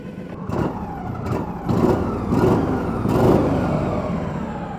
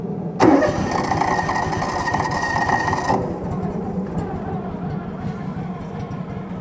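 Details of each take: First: Kawasaki-engined UTV, idle spec about 1200-1300 rpm, possibly idling slightly low: engine blipped three times, each rev climbing cleanly and dropping back without hesitation or stumble; normal rev response. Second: 1996 Argo Conquest 8x8: catches after a short crank, then a slow, lumpy, barely ticking idle; idle set too low, idle screw bumping against the throttle cable.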